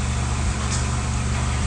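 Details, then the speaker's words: Toyota RAV4 with electronic throttle body after throttle adaptation done without a scan tool, which fixed high idle rpm: petrol engine idles with a steady, low, even hum and no surging or misses; normal idle. "Isn't that awesome? With no scan machine, we have performed adaptation and it has worked 100%."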